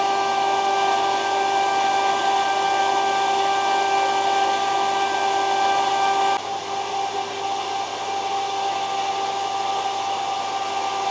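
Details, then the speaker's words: Borehole well pump starting up for a new house's water supply after winter, with two filter housings fitted and a check valve opened. A steady, even electric hum with rushing water and no knocking or surging shows normal running. "Так, ну что, запускаем. Ну, сразу водичка."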